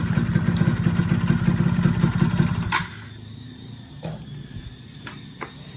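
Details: Yamaha F1ZR 110 two-stroke after fitting a ported cylinder block, standard exhaust; crisp rapid buzz revving cleanly and evenly, then shutting off; healthy and free-revving, sounds fuller than stock.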